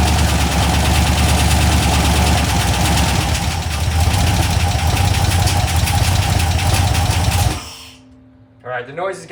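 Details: LS 4.8 LR4 V8 on a run stand, hot, given one last hard high rev before teardown: fast steady knocking over the engine roar, growing louder before shutdown; internal knock, cause not yet found.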